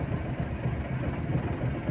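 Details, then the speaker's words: CNG/petrol car running on CNG with blinking check-engine light: uneven, lumpy idle with irregular dips, misfiring and jerking on CNG only (fine on petrol); code P0202, cylinder 2 injector circuit open. "गाड़ी CNG प लगी है यानी CNG प चलने के बाद गाड़ी बिल्कुल ही मिसिंग कर रही है"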